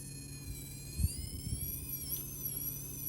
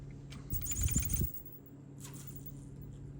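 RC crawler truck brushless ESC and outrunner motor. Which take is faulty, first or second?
first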